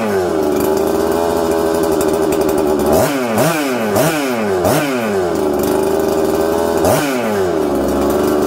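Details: 266XP two-stroke chainsaw first run after rebuild, new flywheel-side seal plus sealant fixing a leak: idles unevenly, revs rise and sag in repeated blips and bog back down; carburettor still needs dialing in.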